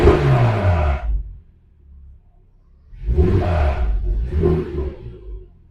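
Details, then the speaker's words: Porsche Cayman S after a new ignition coil for a cylinder 3 misfire (P0303), faults cleared: petrol engine blips the throttle three times over a low idle, revving and settling cleanly with no misfire; slight rattle, possibly the exhaust shield. "But it's not jittering or anything, is it? >> It's not jittering. It's not misfiring. It sounds nice."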